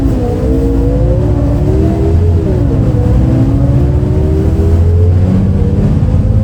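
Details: Recorded 07-03-2022 aboard 2008 MAN Lion's City A37 bus 3477 (MAN D0836 LOH 63 diesel, ZF Ecomat 6HP automatic) on line 8 Eindhoven. A deep diesel drone under load whose tone rises and dips oddly as it pulls; unusual engine sound, cause unknown.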